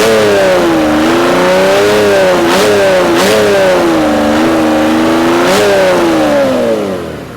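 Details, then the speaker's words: Mercedes OM606 diesel after injection pump calibration, warm at about 70°, revved several times, note rising and falling smoothly, returning straight to a steady idle; stuck-injector misfire has cleared, runs beautifully. "as you can see it comes down to idle no problem so as you can see it comes back down to idle no problem and it it runs absolutely beautifully"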